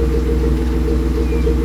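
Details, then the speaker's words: BMW E36 idling after battery charge while alternator output is checked, reading over 14 V: steady even idle, smooth low hum, no knocks, misses or belt squeal; alternator okay, owner suspects the three-year-old Halfords battery. "Okay, so that's started up now. Sorry if it's a bit loud, but we're going to check to see if the alternator is now working."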